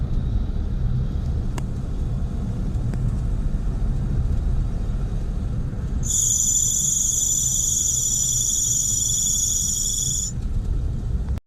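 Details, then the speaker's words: Daihatsu Mira ES engine: steady rumble, then a loud, piercing squeal of about four seconds as the accelerator is released and the alternator charges under load. The alternator belt is worn or dry. "तो जैसे ही आपकी ये belt खराब होती है या dry हो जाति है तो फिर यह आवाज देना शुरू कर देती है"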